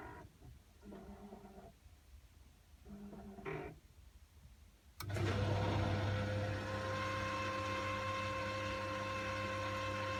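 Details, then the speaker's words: Glow Worm Flexicom combi boiler with an F9 low-pressure fault. Four diverter valve motor whirrs, then a click and steady pump hum; the pump works, but the pressure reading does not rise, leading to the F9 fault. "so this is the pump's kicked in and that pressure hasn't all it's still saying on 1 Point Note bar that will go to an F9 fault because it's not seen that"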